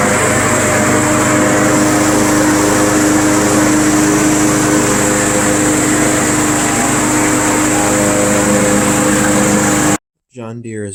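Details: Craftsman Eager 1 self-propelled mower, first start of season in cold weather, running to warm up before an oil change (debris fell in engine): steady even buzz, constant pitch, no stumbles or knocks.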